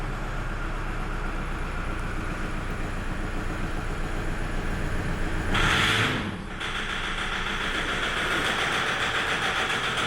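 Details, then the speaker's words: 2006 Toyota Hilux 3.0 diesel, heavy engine noise and flooding; rough, uneven knock about three to four times a second at idle, not a misfire; injector knock, scanner codes P0093 and P1229 showing large fuel system leak, excessive rail pressure. "Ela fica castanhando os bicos. Tá vendo? Não é falhação, castanhando os bicos."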